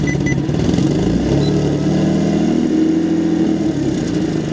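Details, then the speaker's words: Audi S4 exhaust at start-up and revving, recorded near flex pipes ahead of resonators: raspy, blatty note with leaky puffing edge swelling with revs, rattling; damaged, holed flex pipe leaking. "well let's start it here if that made any difference now it's definitely the flex pipe that's messed up listen to this"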